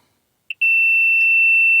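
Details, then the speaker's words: 2000 Nissan Xterra 3.3L V6, crank-no-start ignition circuit diagnosis, ignition off: multimeter on ohms to engine ground near knock sensor gives a short chirp then steady high-pitched continuity beep, good ground, next checking power transistor ground. "And let's check the ground. Yep, we have a ground. and should check the ground for the transistor."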